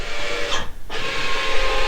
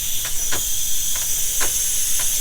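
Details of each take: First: 2024 SeaDoo RXT-X 325 iBR module auto-calibration in BUDS after trim stop adjustment: a short electric motor whir and scrape, a pause, then a steady hum as the actuator drives through its travel; calibration succeeded; normal operation. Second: 2024 SeaDoo RXT-X 325 boost leak test, filled with compressor air to just under 20 PSI: a steady sharp hiss with faint pulses; boost leaking from a loose intercooler hose, which was then tightened.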